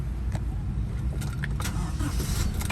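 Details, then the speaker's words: 2001 Toyota Kijang Krista 2.0 EFI petrol, manual, about 109,000 km: engine catches straight away and settles into a low, even smooth rumble with some key jingle; clean start. "udah nyala cuman halus banget Ternyata tokcer tidak ada Dengar suaranya masih semut jahenya kita kecil volumenya kita"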